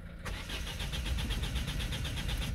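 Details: 2007 Citroën C4 1.6 HDi 90 hp (9HX) without DPF, starter kit and key transponder previously replaced: starter cranks steadily for over two seconds but never catches; fault code P2670; cause not yet confirmed.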